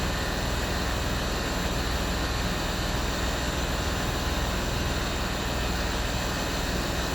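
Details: Land Rover Discovery 3 replacement air suspension compressor, the old one bent by damage, tested on the floor: steady even drone with constant hiss, no knock or rattle, slowly filling the roughly 25-litre tank and lifting the front; normal operation.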